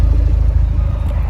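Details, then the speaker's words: Fiat 124 Spider 1.4 MultiAir turbo after switching the air conditioning on then off: even, steady low idle with no stumbles, smooth exhaust, misfires gone; suspected camshaft issue, cause unclear. "So if this couldn't get more confusing, idle is smooth, exhaust is smooth, misfires disappeared."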